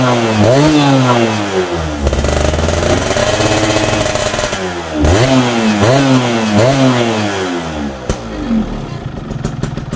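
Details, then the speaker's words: Yamaha F1ZR two-stroke after carburetor needle clip raised from position one to two, fixing bad low-end hesitation after getting wet: crisp rising and falling revs on throttle blips, no stumble or bog; normal running. "yes, so for this, it's finished, it's normal, just walk because the roads here are bad"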